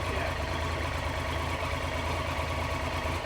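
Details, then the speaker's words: 1993 Triumph Trident 900 three-cylinder, first start after sitting five years with carburettors refitted, warming up just off choke: steady even idle with smooth pulse, all three cylinders firing, no missing beats. "Sounds like it's got three cylinders, though. >> Yeah. >> Sounds really good. Let it warm up for a minute."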